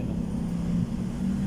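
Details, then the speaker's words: Submersible pump with adjusted pressure switch runs with a steady even low hum, not yet cut off because a 10-minute timer is watering plants upstairs; water meter keeps turning, normal running. "Umandar pa rin siya sa ngayon h pa siya nag-cut off dahil nagdilig pa yung ating halaman doon sa taas guys. Kaya tuloy-tuloy umandar yung metro dito guys."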